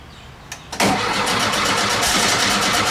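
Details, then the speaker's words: VW bus air-cooled engine after valve adjustment, a spark plug sorted after cranking with no compression on one cylinder: catches quickly and settles into steady, even idle, slightly cold on choke; belt flapping a little, needs adjusting. "well that worked out good I think going be happy with that I got adjust that belt that belt's flapping a little bit"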